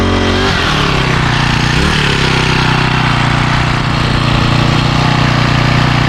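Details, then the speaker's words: 2012 Honda HHT35s trimmer with a 35cc four-stroke on Pennzoil 10W30, cold started on choke after about three primes; catches, revs briefly, then holds a steady, even buzzing idle like a minibike, with no misses or rattles. "it runs great and uh it's so quiet and it sounds like a minibike at idle and it's very powerful"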